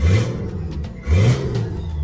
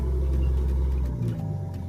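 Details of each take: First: Turbocharged Nissan GQ Patrol on an eBay kit with wastegate and screamer pipe; two quick, crisp throttle blips that rise and fall cleanly with no stumble, more responsive than before, but still not reaching positive boost pressure. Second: Turbocharged Nissan GQ Patrol on an eBay kit; deep, uneven rumble that wavers and dips instead of settling; rough idle because there is no idle control setup, so idle is set only by throttle body tension.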